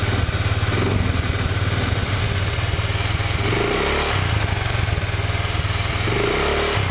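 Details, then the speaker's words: Honda Vario Techno 110 CVT with a Proper Racing Line clutch bell and original double clutch shoes, CVT cover fitted: the engine blips and settles several times with no whistle or squeal from the clutch. Normal CVT sound. "saya ini enggak ada sama sekali suara siulan ya Coba kalian dengarin baik-baik guys engak ada sih ini menurut saya aman banget ya"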